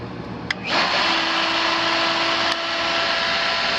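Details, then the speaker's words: Pool pump motor after main disconnect switch test: clicks on and slowly comes up to speed, steady hum with a rough, gritty hiss; inspector suspects rough bearings. "now that those bearings are a little rough doesn't it it takes just a little while for him to get the speed"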